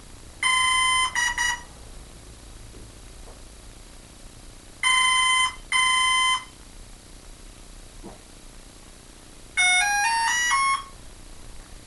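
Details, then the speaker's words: Hobbyking F4U Funfighter with a FlySky six-channel receiver bound to a Turnigy 9X. Two short high beep bursts repeat every few seconds, then a rising multi-tone chirp; throttle does nothing. Speed controller error beeps of unknown cause; owner suspects the controller is trash. "let's uh unplug this if anyone out there knows what those beeps mean give me a holler i personally think speed controller is trash"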